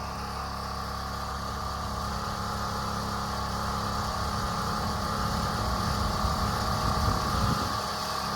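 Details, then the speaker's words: Small engine after fitting a thicker spring, tighter than the factory one: steady drone climbing in pitch and staying high and busy, running too strong; owner suspects spring causing overspeed. "It kind of sounds like it's running better than good. That sounds like it's It almost sounds like it's running too strong."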